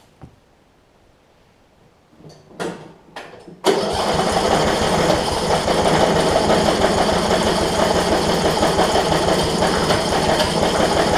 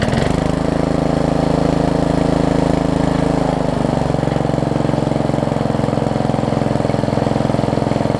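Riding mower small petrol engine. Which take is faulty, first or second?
first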